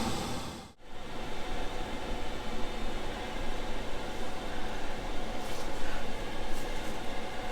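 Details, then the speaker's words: Diesel heater in a fire truck camper, winter use, with a separate air inlet and an isolator switch, running flat out from cold: even, steady rushing roar with no knocks or squeals. This is as loud as it gets; it quietens once the cabin warms. "it's running flat out now this is as loud as it gets"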